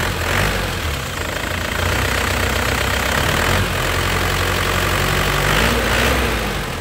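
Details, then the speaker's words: 2003 Isuzu Panther LV diesel, original engine, warm idle after driving: steady diesel clatter with an even rhythm and no odd knocks or rattles; described as solid and original-sounding, a healthy normal idle. "ini suara mesinnya masih kempel ya ini memang orinya"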